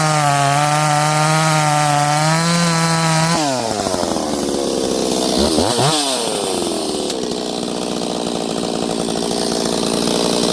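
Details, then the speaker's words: Ported Stihl 026 chainsaw, first time in wood, cutting rock-hard hardwood at wide open throttle: steady high scream, pitch sagging slightly as chain bites then recovering cleanly; strong healthy saw. Normal cutting under load. "This stuff's rock hard. It's fast in softwood. It's strong in hardwood."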